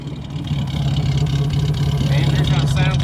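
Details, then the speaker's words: Running after fuel-filter bypass with rubber line, heard at the tailpipe; steady, even low idle burble with no misses, puffs or ticking; normal healthy exhaust note. "tail pipe sounds all right"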